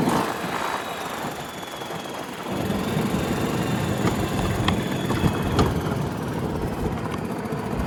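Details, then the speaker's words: 1992 Club Car DS gas golf cart single-cylinder engine, cold, after a carburetor change and magneto cleaning: rough sputtering at first, then a steady, even putter. Normal running. "Enginees running. It's a little cold nature to start with for right now, but I think we just need to run it a little bit more."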